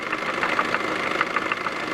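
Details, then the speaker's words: 2005 Chevy Cobalt 2.2 Ecotec idling with a sharp, fairly quick knock from the passenger side, rising slightly with engine speed; began while driving, persists after lash adjusters, timing chain tensioner and oil change; cause unknown. "it's coming from the passenger side of the engine and it increases slightly with engine speed"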